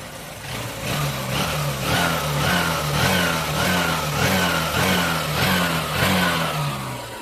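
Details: Old Honda Shine motorcycle after a complete replacement engine was fitted, because the old crank, bearing and connecting rod were bad: starts on the first press and revs in quick, even bursts that climb and fall cleanly, with no knock or rattle.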